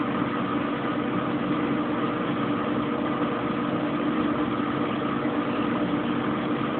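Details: Kenmore Oasis top-load washer after OL-code repair, spin cycle: smooth, even whirr with steady mid-pitched hum, no knocks, thumps or scraping, not yet at full high-speed spin; normal spin.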